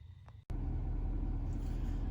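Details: 2019 Ford 6.7 Powerstroke diesel after a high-idle mod via upfitter switch 3, parking brake not set: a click, then a steady deep diesel rumble at low idle with no knocks or misses; normal idle.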